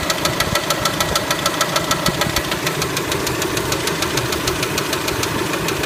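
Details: Kia Spectra engine at idle: sharp metallic tick-knock repeating steadily about three times a second; clear engine knock, source not yet pinned down.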